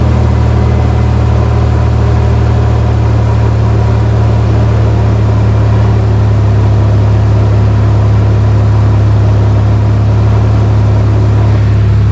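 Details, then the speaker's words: First-gen Toyota Tacoma after catalytic converter replacement: steady low exhaust drone settling slightly in pitch, no puffing or ticking; all exhaust now exits at the tailpipe, sealed and healthy. "all the exhaust is coming out the back now"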